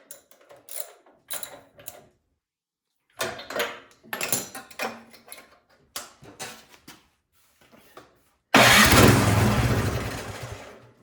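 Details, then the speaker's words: Craftsman snowblower with spark confirmed: several cranking pulls, then a short loud burst on starting fluid that dies away. Owner suspects a clogged carburetor. "all right you get bonus content here carburetor is it's got to be clogged up something up with it"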